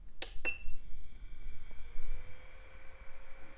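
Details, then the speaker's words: 1998 IBM Aptiva Pentium II CPU fan, single-speed, dusty: after two clicks, a thin steady whine from a slightly tired bearing, not needing urgent attention. "Okay, it could be worse. I do hear the bearing, but it's not in need of urgent intervention."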